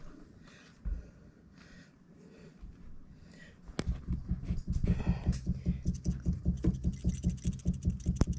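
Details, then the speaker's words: Refrigerator start relay shaken by hand: loose rattle about two and a half times a second from a part broken loose inside the failed relay; the new replacement relay does not rattle. "that noise it rattles and then one this is a new one it does not rub"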